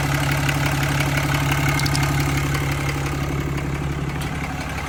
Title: 2015 ram 2500 6.7 Cummins ticking sound?